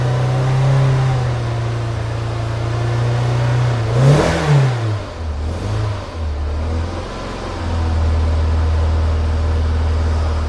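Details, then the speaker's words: Citroen BX 16V started stone cold at wide open throttle: lumpy, stumbling idle that splutters with blips and heavy smoke; misfiring from fuel flooding, later traced to a leaking fuel pressure regulator. "So, it's actually misfiring full stop now. As you can see, it runs, but it runs like crap. Very lumpy, lots of spluttering, lots of smoke, and a to get it going."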